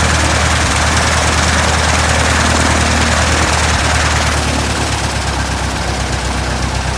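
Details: 1967 Citabria restoration, first engine start: steady, even drone at low speed, firing smooth and regular with a little wind; normal idle.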